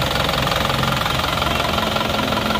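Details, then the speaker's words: Isuzu Panther diesel pickup after blow-by repair with new piston rings and advanced injection timing, about 60 degrees: even diesel clatter at steady idle, smooth rather than rough as with worn rings, no smoke from the oil filler or exhaust; normal idle. "jadi suaranya bisa halus seperti ini karena ini seernya baru kalau tidak baru biasanya ya seker lama yang sudah aus suaranya itu akan kasar nah ini sudah halus suaranya seperti ini"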